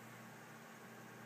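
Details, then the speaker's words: New Dynatron CPU cooler with a ball bearing fan, replacing a cheap cooler whose fan whined, PC just switched on: soft, even hiss of airflow with a faint low hum, no ticking or buzzing; much quieter, fan running fine. "uh oh that's much quieter listen to that there's no noise coming from that and even when it gets loud it's not ridiculously well it's not ridiculous it's pretty good actually"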